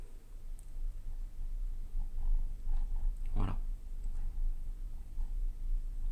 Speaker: pas mal écoutez bien le bruit d'écoulement d'air